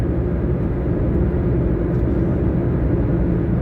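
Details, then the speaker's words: Taxi cruising down the road the day after wheel bearing replacement: steady even road rumble with no hum, growl or whir; repaired wheel bearing now quiet and normal. "yesterday they fixed the wheel bearing you don't hear it going any more going down the road that's great it's the way it should be"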